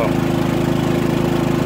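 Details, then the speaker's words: Harbor Freight Predator 3500 W generator, about 25 hours, fresh oil and new plug, powering a 32 ft fifth wheel's 15K air conditioner at 12.9 A, 1560 W (about half load): steady, even drone, no surging or hunting; runs healthy. "all right now it's running my 15 K air conditioner unit 12.9 amps fifteen hundred and sixty watts this is like a half a load"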